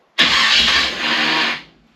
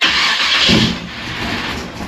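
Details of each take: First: Nomad's brand-new mini starter gives a harsh, high whirring grind for about 1.5 seconds without the engine catching; owner suspects it may not be shimmed right. Starter noise. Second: 1955 Chevy Nomad's high-compression small block with a big Holley, three-inch headers/pipe and glass packs starts quickly with a loud raspy exhaust bark and settles before cutoff. Normal start and idle.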